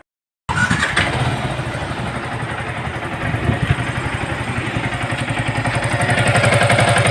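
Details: Yamaha R15 motorcycle at 17,240 km: the engine catches and idles with a loud, hollow knock of about four per second over the exhaust. Head removed: piston badly worn and slapping, plus a valve problem; head work planned.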